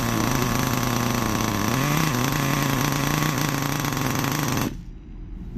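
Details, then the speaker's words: Nitro RC car engine warming up during idle tuning, throttle gap 1 mm: the high buzzy engine sputters and wavers unevenly, then cuts out. It is loading up because the low-end needle is still too rich, hence stalling. "it's still loading up so we know we're still rich at this point that's why it's stalling"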